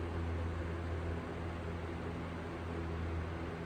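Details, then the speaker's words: Restored 1954 Emerson 77646AS 12-inch desk fan at medium speed, with new capacitor, head wire and cord and a serviced motor. An even low hum with a steady airy rush, slightly louder, with no rubbing or rattles. Normal running. "And here, medium. Just a little bit louder than this one, but not by much."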